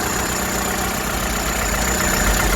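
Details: Vandalised salvage VW Golf Mk6 bought at auction, described as mechanically immaculate with no engine lights on: a smooth, settled idle with an even low hum and steady rhythm, no knocks, misses or ticks; normal.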